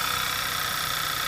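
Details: 2009 Audi A4 Quattro that clicked and wouldn't start after a small accident; the switch-off sensor (8J0915459) behind the battery was bypassed; now a short, steady idle with an even hum and light hiss, no knocks or misses.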